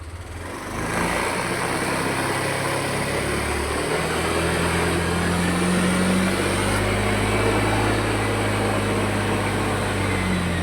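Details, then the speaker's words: Yamaha Aerox Connected scooter that ran out of oil, with a noisy engine and handlebar vibration: clattering at idle, but held at high revs where VVA engages it gives an even, smoother drone. Rough engine noise that smooths out at high revs. "Suaranya kemeletek. Cuma ini kalau misalkan digas tinggi, Teman-teman, di sampai VVA-nya dia main sini ya, dia suaranya lebih halus."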